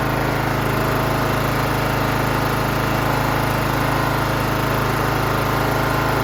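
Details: John Deere GT 275 Kawasaki engine after replacing a broken valve spring, with new valve cover gasket fitted dry: even, steady single-cylinder-type thrum at constant speed, no ticks or clatter; runs clean and smooth.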